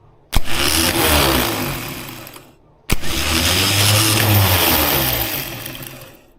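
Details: Freshly rebuilt engine of a 1976 BMW 2002, starter just installed and wired to a battery: two short bursts of a harsh, high-pitched starter whirr with a dry rattle, no firing; the drive was unlubricated, then oiled.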